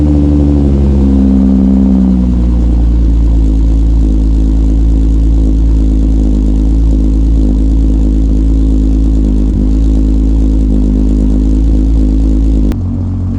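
Loud, deep, steady engine drone with an even beat after a brief rev; the engine runs smoothly, just a loud exhaust.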